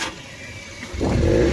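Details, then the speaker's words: Maruti Eeco pickup with codes P0133, P0130, P0171, won't exceed 20–30, no pickup in third and fourth gear, won't run on CNG: flat idle, short rev that stalls at low pitch and won't climb, engine dying at idle; choked silencer/catalytic converter. "आप इसका noise सुन सकते हो, खड़ी गाड़ी भी पूरा race नहीं ले रही है और CNG में चलती भी नहीं है।"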